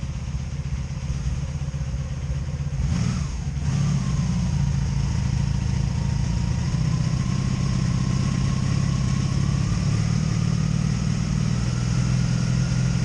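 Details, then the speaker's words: 2002 Honda Magna VF750C that misfires and backfires, idling after new ignition coils were fitted: an uneven, lumpy beat with dropped pulses, now felt on all four cylinders. Owner suspects the CDI box, not confirmed. Misfire. "I got a misfire here damn I got a misfire here so both of this I'm getting misfires"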